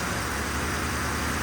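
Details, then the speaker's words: 1966 Ford F100 on a 2010 Crown Victoria chassis, fuel pump disabled via inertia switch, running on a squirt of starter fluid: brief loud even rush with no knocks or rattles; engine runs quiet and healthy. "this thing runs quiet doesn't make any crazy"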